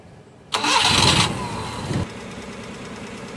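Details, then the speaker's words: Suzuki F6A engine that had been rough, backfiring and hard to start, after the valve clearance was adjusted and an oil flush and oil change were done. It now starts on the first crank, flares briefly, then settles to a steady idle. "okay na one click"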